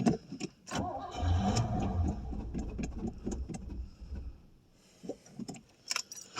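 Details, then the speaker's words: 1989 Pontiac Safari wagon, first cold start after 18 years off the road: engine catches, runs raggedly a couple of seconds, then sags and dies repeatedly; owner suspects old gas, plugged carburetor main jets or fuel starvation, not confirmed. "Okay, it kind of kind of will run. Now I say that. Yeah, she's just lacking fuel really bad."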